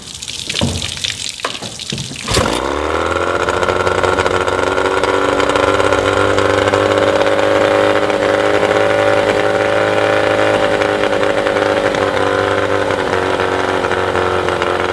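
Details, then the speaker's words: Yamaha 20 HP two-stroke outboard idling while timing is retarded toward 7° after TDC spec; steady buzzy idle that sags slightly as retarding lowers idle speed, idle may need readjusting afterward. "What you'll also notice is as I adjust the timing, as you advance the timing, the idle speed will increase, and as you retard the timing, the idle speed will decrease."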